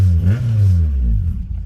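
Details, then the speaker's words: K24A-swapped DC2 Integra on E85 with stock injectors, full 3-inch exhaust, XD1 release bearing slightly noisy, cold start after tune: deep low rumble swelling with a couple of quick throttle blips, then settling; clean-running, healthy. "But she does run. And I got her idling good. She is alive, boys. She is alive."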